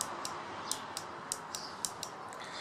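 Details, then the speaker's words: Brake lever pulled and released, operating the small two-pin push-button brake light switch. Light, crisp clicks come about every half second; the switch is working normally. "this brake lever makes a clicking sound and a clicking sound comes from operating a small switch"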